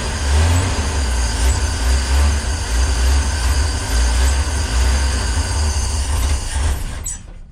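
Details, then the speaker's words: 1965 Ford Econoline van stored since 2011: starter cranks steadily without catching; carb dry as a bone because the mechanical fuel pump has failed, diaphragm suspected torn; replacement pump to be installed. "dry as a bone alrighty folks this fuel pump is officially dunzo"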